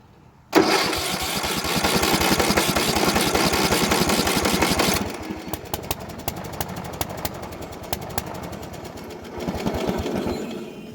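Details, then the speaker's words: Bolens riding mower that sat for years, after a carburetor cleaning, with the choke off. It catches with a loud burst, runs rough, then sputters and pops like it's flooded and bogging. A new carburetor is on order. "that is a sound that she's flooded out ain't it guys"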